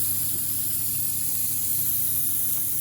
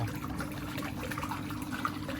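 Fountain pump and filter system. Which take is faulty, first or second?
second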